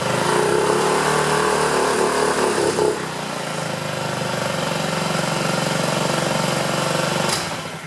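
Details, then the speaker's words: 2009 Honda Metropolitan scooter with recently fitted carburetor, warming up after carb cleaner spray: uneven, wavering putter, rough inconsistent idle; improvement with cleaner suggests clogged carburetor jets, carb to be removed and cleaned. "Let it warm up a little bit. Doesn't sound real consistent. And because it improved with that carb cleaner spray in there, I have a feeling the jets are clogged in there."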